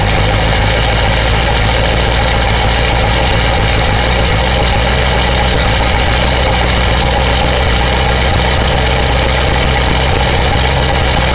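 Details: 2000 Ford 7.3 Powerstroke diesel cold start in 7°F Wisconsin weather (about 10 above said): steady, even rumble with no lope or miss, white smoke; normal cold idle.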